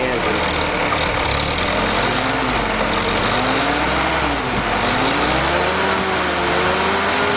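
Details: Willys M38 L134 flathead engine on a test stand, running on its original carburetor after a rebuild replaced a badly assembled one: steady, loud idle with even beat and slowly wandering fan-belt tone, no misses or knocks; normal idle.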